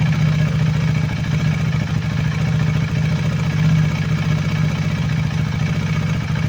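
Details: KTM Duke 390 V2 single after repair: intake and exhaust camshafts and two rocker arms replaced, valve clearances in spec, earlier clatter from head oil passage blocked by gasket maker; steady idle with light regular valve tick, no heavy clatter; healthy.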